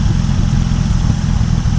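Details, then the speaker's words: 1950 Dodge Meadowbrook engine idling, no thermostat, oil pressure 40, temp steady just under half; owner notes blow-by remains: steady, even low-pitched idle, smooth regular beat, no knocks or misses; sounds really good, normal idle. "It sounds really good, doesn't it?"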